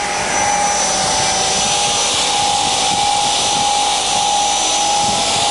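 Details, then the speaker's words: Tatry used radial arm saw for aluminium cutting, motor switched to run continuously: steady, even hum with a constant high whine and no knocking or grinding; motor runs smoothly. "basically now when I push this or that, it'll run continuously. So now it's running continuously."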